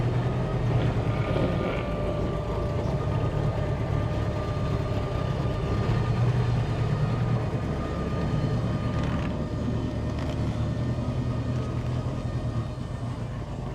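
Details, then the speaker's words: Bombardier Bombi with Holley Sniper 1100 EFI, new coil, exhaust manifold leak fixed, water temp fine: steady, even hum idling around 2000 rpm with no dips. High idle; it later cuts out after a few minutes of idling, and the new coil didn't cure it. "see my uh water temperature is not bad it's just Island around 2000 RPM well enough let's see what it does here"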